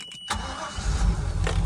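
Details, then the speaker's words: 2003 Bayliner 215 Bowrider, stern drive on trailer, not run since June: brief crank, then catches and settles into a steady low V8 rumble; normal clean start, alternator confirmed charging. "there she is. Just like that."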